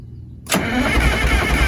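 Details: Motorhome engine, cold after sitting a couple days, usually sticks with white smoke: silence, then catches after a long crank and settles into lumpy uneven idle; possible exhaust leak noted; hard cold start, rough running.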